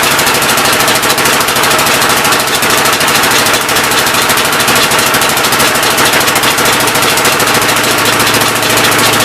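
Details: Old engine's first start attempt on a temporary coil ignition: fast, even chuffing with sharp popping, running rough. The intake valve seems to be leaking but is not hanging open; the owner plans to pull the cylinder head and lap the valves.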